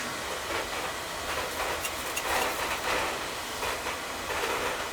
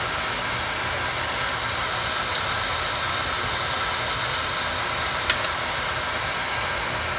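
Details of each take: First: Oil-fired boiler full of black soot, burner running: uneven spitting roar with irregular puffs and pops instead of a steady flame; sputtering, suspected air in the pump after running out of oil and repeated resets without bleeding. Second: Oil-fired boiler burner, previously sooting and blowing black smoke, after nozzle size reduced: steady even flame roar without pulsing, rumble or sputter; normal burner firing, running smooth.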